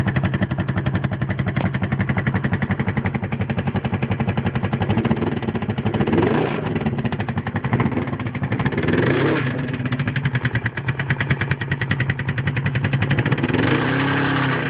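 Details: GS500 motorcycle: a steady idle with a loose, uneven clatter throughout; the owner has no idea what it is, and the abnormal engine noise has an unclear source.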